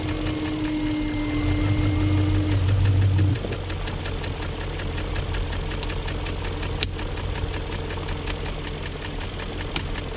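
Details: 2001 BMW E38 740i Sport V8 idle: light regular top-end tick about four per second after new timing chain, guides, tensioner and VANOS distributor gaskets; no codes, no smoke; owner suspects VANOS unit failure, unconfirmed.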